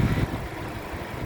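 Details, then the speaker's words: 2015 Suzuki Ertiga 1.4 GX manual, 1400 cc four-cylinder petrol, front-wheel drive, about 87,000 km, hood open at idle: steady, smooth, constant low hum with minimal vibration and no knocks, misses or rattles. Normal idle. "Jadi ritme suara mesin yang bagus, dia suaranya masih halus, konstan, getaran mesinnya juga minim."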